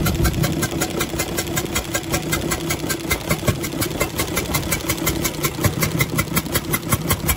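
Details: UD Nissan PKD 411 truck, NE6 six-cylinder diesel at idle: rough uneven chuffing pulse about three a second from the intake side; rockers and tappets checked fine, leaking intake valve in the head suspected, head to be opened.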